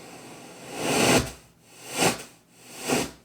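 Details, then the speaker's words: Kenwood KR-44 receiver after replacing the output transistors in one channel: radio static swells and drops out about every second when the volume is raised, stable only at low volume; outputs run hot, bad bias suspected. "see that it just cuts in and out like crazy"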